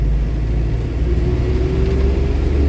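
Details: Tempo Traveller CR-V16 (FM2.6) road test after rear differential repair, which fixed hard jerks from the rear on gear changes: a steady low drivetrain rumble with a faint even tone, no clunks or shudder. The driveline is now normal.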